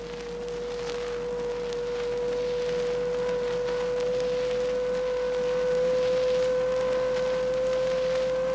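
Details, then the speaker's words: Chrysler 1956 training recording of a rear axle on acceleration: steady whine rising in pitch as speed builds under power; could be pinion-to-ring-gear tooth contact or pinion shaft bearings. "Now, if you didn't notice how it increases in pitch as power speed increases, let's play it back again. Hey, that sounds like a wine to me. All right. And you couldn't miss how that rear axle wine kept getting higher in pitch."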